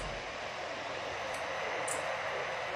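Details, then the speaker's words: PC power supply fan after cleaning and maintenance: smooth, steady airy whoosh with no rattle or buzz, completely normal. Before maintenance it was as loud as a helicopter. "completamente normal"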